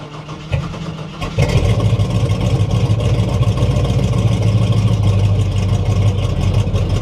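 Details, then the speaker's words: 1960 Chevy Biscayne with the idle raised: it fires after a stumbling start, then runs rough with a loping beat and is missing. Hydrolock is suspected, from compressing fuel when a cylinder wasn't firing, so internal damage is likely. "come on yeah it's it's not it's missing on it's something hard when it hit I think that was Hydro"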